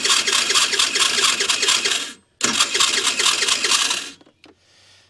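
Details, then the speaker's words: 50cc Ice Bear Chinese scooter trike, no-start with a suspected vacuum leak, spark confirmed: harsh metallic chattering in quick pulses, about two a second, on each crank; starter one-way clutch gears suspected going bad, cause unconfirmed. "so we get spark sounds like we got some spray gears going bad on the starter they're little one-way clutches"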